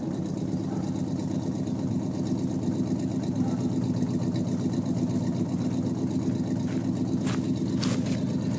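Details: 1950 Plymouth Deluxe four-door with a 350 V8, on a cold day after a first-click start: a deep, even V8 burble holding a steady idle with no knocks or misses; healthy idle.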